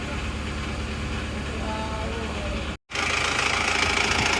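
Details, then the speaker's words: Isuzu Panther diesel just after its rebuild, with new piston rings and non-original injector nozzles: idle clatter at about three to four slightly uneven pulses a second, a bit rougher than other rebuilt engines but smoother than before. "ini kalau menurut saya masih lebih kasar pada mobil yang baru turun lainnya ini sehernya ganti printer tapi ini menurut saya agak sedikit lebih kasar tapi sudah lebih halus daripada sebelumnya"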